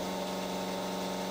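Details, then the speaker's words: New Lakeshore carbide 1/2-inch Fireplug roughing end mill cutting vise soft jaws to length: steady humming cut with fixed buzz and grumbly, coggy chatter underneath; machinist unsure why, suspects spindle RPM too slow, though it cut fine. "i'm using a brand new lakeshore carbide half inch fireplug rougher and um i'm playing this in real time here just because it has a funny grumbly coggy kind of sound to it"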